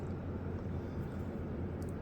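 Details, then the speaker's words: 2024 Midea 12,000 BTU inverter window air conditioner MAW12V1YWT-S on low cool, indoor fan low: soft steady hum from the outdoor condenser fan only, indoor fan inaudible; normal quiet running. "and really the only fan the only thing you can hear is the condenser fan motor but when the con fan motor is off you don't hear anything from this indoor fan motor"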